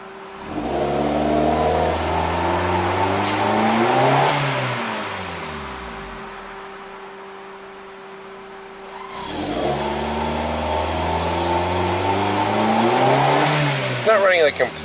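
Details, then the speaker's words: 2008 Suzuki SX4: two full-throttle rev-ups that climb, hang near the top, then drop. The hesitation persists but it passes the wall better than before without stalling; cause unconfirmed. "I mean, I'm still flooring it, but at least it goes through the wall better than before. It's not stalling."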